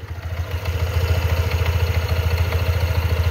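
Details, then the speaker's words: Scooter ridden two months, 2,964 km, warming up on a cold morning: rough, uneven low thrum with a loose klotok-klotok clattering knock; the owner suspects the CVT but the cause is unconfirmed; rough clattering idle on cold start. "Suaranya kayak gini aneh itu lo ndak bisa halus kasar dan nada suara klotok-klotok kayak gini"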